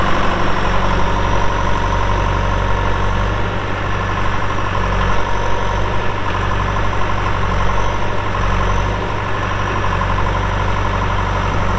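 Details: 2001 John Deere 450H LGP dozer, 9,548 hours, at idle: deep, steady diesel beat with no knocks, misses or hunting; it starts right up with no excessive smoking and sounds healthy and settled.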